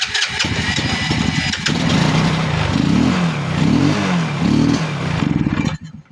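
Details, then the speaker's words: Karake motorcycle that would not start, after replacing the ignition cap: cranks, catches with a backfire pop, surges unevenly, then stalls, so the cap was not the problem; spark plug to be checked next. "Try nating start. Uy, may backfire siya."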